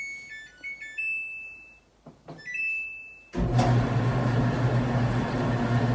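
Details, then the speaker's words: 10-year-old Samsung DV45H7000EW dryer after replacing the rollers, belt and pulley to cure a loud running noise; chimes, then a steady, even low hum with no thumping or squeal; runs normally. "wow beautiful sounds like a brand new dryer"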